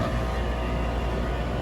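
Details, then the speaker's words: Outdoor AC condenser after a full cleaning and a tightened terminal connection: compressor and fan start and settle into a low, even hum with no clicking, buzzing or straining; running normally. "Yep, she works. Perfect."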